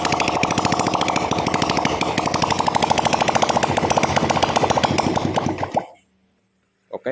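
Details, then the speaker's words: Vega R motorcycle bored up with an oversize 450 Kawasaki Kaze piston, first start with no exhaust fitted: loud, rapid open-pipe popping at a steady fast idle before cutting off, firing evenly. No white smoke and oil rising; normal running. "OK, the engine is running, there is no white acid, for the first time it starts, then we check"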